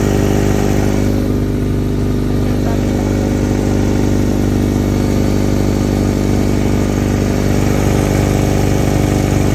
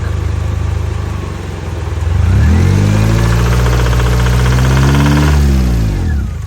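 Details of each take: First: 1994 Honda Accord (F22) after rod knock repair: petrol engine idles steadily with an even low rumble and no obvious knocking; normal idle. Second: 1994 Honda Accord petrol engine (F22) idling with a steady deep knock about four times a second, then revved up and back down: rod knock in a blown engine, before the oil pan is removed for repair.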